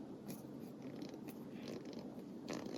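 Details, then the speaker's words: Ratchet (Snap-On vs Pittsburgh Pro comparison) that has been taken apart and relubed: crisp, evenly spaced pawl clicks with a soft, quiet action and no gritty drag; sounds good, clean well-lubed ratchet. "This one has been taken apart, and it has had a little, it's been relubed. So, but it sounds good."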